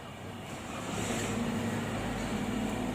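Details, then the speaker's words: Toyota Avanza 2018 with recurring P0014 check-engine code, first start: engine fires and settles to steady, even idle without the earlier ticking from under it, which was blamed on oil not reaching up; now quiet, normal idle. "Ayun, tumahimik na yung under niya mga kachamba. Kasi nung una maingay yan, malagatik."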